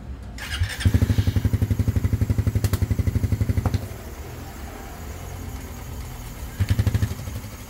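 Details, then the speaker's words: Raider 150 Fi motorcycle after repair of a crushed left-side balancer bearing and the gear; the crankcase had earlier weld work that misaligned the bearing. Two short throttle blips with an even, steady beat and no knock or rattle; engine now quiet. "pero ang pinaka problem talaga doon sa balancer bearing yung bandang left side na durog Ayon naayos naman yung gear at saka tahimik na rinar"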